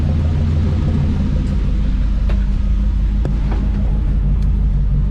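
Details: International C1600 truck 345 V8, warmed up to temperature with fans running, fan thermostat found set to 160: deep, even rumble at idle with no misses or knocks; normal warm idle.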